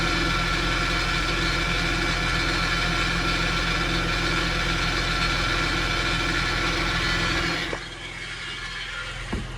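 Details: 2009 Acura MDX at low revs, 1500–2000 rpm: steady engine drone with a fine, even rattle riding on it, then it drops off; source of the rattle unclear.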